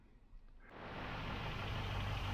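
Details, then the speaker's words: 1972 Range Rover A Suffix at idle: steady low idle, tick gone again; tappets right on the tolerance limit with the 45-thou shims fitted, owner plans one shim tighter on this side; normal idle. "and the tick has gone away again um so i think what we've got we are right on the limit here of the tolerance on those 45 thousand shims that i put in there"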